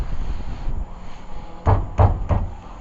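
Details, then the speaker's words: Lexus ES300 after strut replacement: three sharp, hollow clunks in about a second as a worn rear trailing arm/rod joint, worn on both sides, is rocked by bumping the tire by hand; the rattle heard driving down the road. "ay, this joint up in here is worn out, and you can hear it rattle when bumping the tire. That's what he was hearing coming down the road."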